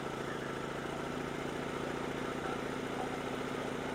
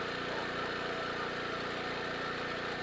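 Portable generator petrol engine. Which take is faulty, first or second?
first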